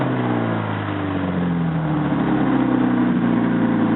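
Engine revs up with a raspy, puffing edge riding on the rising note, the sound of exhaust escaping ahead of the catalytic converter.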